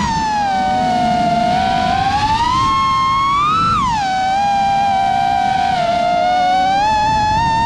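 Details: New-frame quad with new Xing 2207 2450kv motors, 5x4 V1S props, 4S 1500 battery, Bardwell F4 V1 FC, Spedix 30A BLHeli32 ESCs, Betaflight 4.1 with RPM filtering: whining motor tone rising and falling with throttle with a constant buzzy edge; persistent vibration, source undetermined.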